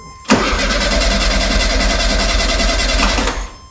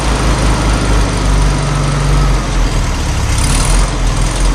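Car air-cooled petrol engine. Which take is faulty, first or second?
first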